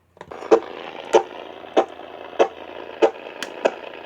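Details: AM radio picking up sharp static pops about every 0.6 seconds over faint hiss. The interference likely comes from a nearby Cen-Tech automatic battery float charger, Harbor Freight item 69955.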